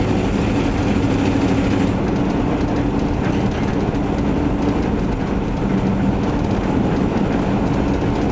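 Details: Van test-driven before repair: loud, raspy rumble droning steadily, far louder than a sealed exhaust. Later traced to a bad exhaust donut gasket, both mufflers rusted out and a holed tailpipe section; exhaust leak.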